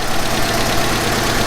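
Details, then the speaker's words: Revived abandoned Mazda 929 HB coupe being heat-cycled up to temperature after fixing a rusted Welch plug in the block, which isn't leaking; steady even idle, no misses or knocks, no smoke after earlier flooding and wrong plugs. Normal idle. "the longer it runs the healthier it sounds it moves back it moves forward can't ask for more than that"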